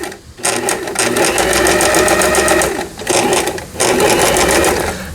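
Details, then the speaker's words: Janome Harmony 2041 sewing machine sold by Lion, about 20 years old, after repair of a mistimed lower-shaft gear and shuttle race unit; sewing zigzag stitch. Rapid, even stitching clatter in smooth bursts: needle and feed run cleanly, healthy. "이제 지그재그 바느질이 되겠습니다. 지그재그."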